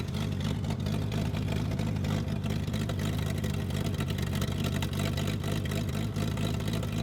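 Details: Toro Parkmaster tractor sitting for years: steady low engine drone with even firing and no knocks or misses; running smoothly.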